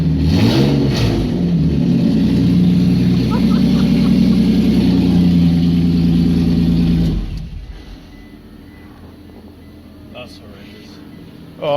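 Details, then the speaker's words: 2008 Toyota Hilux TRD 1GR-FE V6 during supercharger build, open headers with no exhaust, rear oxygen sensors out: loud, raspy revving held about seven seconds then dropping to idle; runs fine. "Wow. Dude, that sounds fucking insane. Listen to that. That sounds tough. It's got a bit of a V6 sound to it though."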